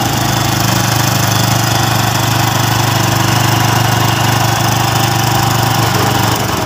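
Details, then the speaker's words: Honda Revo Absolute single just reassembled, with valve clearance set to 0.5 mm: fast, steady idle with a sharp puffing tick on each firing pulse from a leak in the exhaust header pipe, not the muffler; to be sealed. "ini sayang untuk knalpot masih bocor ya jadi di pipa di pipanya yang bocor bukan baknya"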